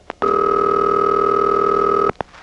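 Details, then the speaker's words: GEdney 9 panel telephone exchange in Brooklyn, 1977: after the sender drops out and audio cuts through to the final switch, a steady two-note ringing tone holds about two seconds, then cuts off cleanly; normal ringback on a completed call. "by now the final switch has begun ringing and there you go it only took 15 minutes"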